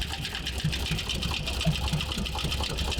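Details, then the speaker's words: 2008 Mercedes-Benz ML63, about 135,000 miles, sold as blown engine: uneven idle with sharp knocking about four beats a second, sounding like a bottom-end failure; engine failed internally. "that's about as bad as of a sound that you can get that sounds healthy I sound like bottom in but well the the previous owner telling us that add a blo engine might be right"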